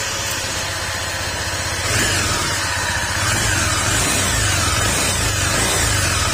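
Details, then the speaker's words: Honda PCX160 scooter at 46,712 km, running before an engine overhaul: a loud, deep, gruff drone that swells with throttle and sounds like a big bike, far heavier than a scooter should. The cause is worn crankshaft (sigunyal) bearings. "Meron mga ganitong problema talaga mga sir. Kasi ang problema nitong ganyan tunog, doon sa sigunyal, yung sigunyal bearing."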